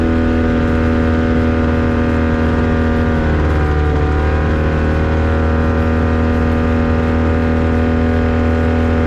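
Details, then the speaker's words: Avid Flyer aircraft with Rotax 670 two-stroke, taxi test at full throttle: loud, steady drone with a slight wavering note. Engine stutters and sputters under full power. Later runs pointed to a dirty air filter. "and there it is again still sputtering i'm starting a little frustrated with it seeing what's going wrong"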